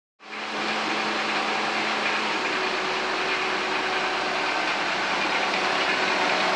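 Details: Car at idle after cleaning the idle air control valve (IACV). It settles into an even, steady hum with no hunting, surging or stumbling: a smooth normal idle.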